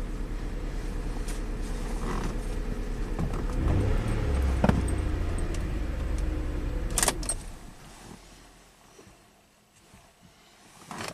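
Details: 2008 Lincoln MKX V6 idling with a slightly uneven, stumbling beat. Cylinder 1 gets no coil firing signal on the scope; new coils, plugs and two injectors didn't fix it, so the engine computer is suspected.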